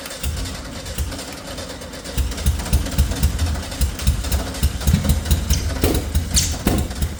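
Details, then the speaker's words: 1971 air-cooled VW Beetle, long-stored restoration, first start attempt: starter churns about four beats a second with brief ragged catches that never run; nearly starts, fuel not reaching the carburetor suspected. "annoyingly it did nearly start so what I'm doing here is I'm doing something diagnostic I'm putting the fuel line that should go into the carburetor into that white plastic bottle to see if any fuel comes out"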